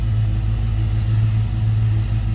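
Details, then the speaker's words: 1970 Chevrolet C10 stepside with rebuilt 350 V8, just after a cold start, oil pressure up: low, smooth V8 rumble holding a steady idle, no knocks or misses; normal idle. "That was a cold start. Oil pressure up over here. Nice sounding truck."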